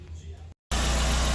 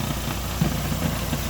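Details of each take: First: 2012 Renault Sandero petrol engine after repair, where a washer was added and tightened: a steady, even idle with a smooth low hum and no rattle or knock; the earlier noise has stopped. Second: 2012 Renault Sandero petrol engine idling with light, irregular knocks from a loose air filter box missing its screw; noise grows louder when the latch is released with engine running.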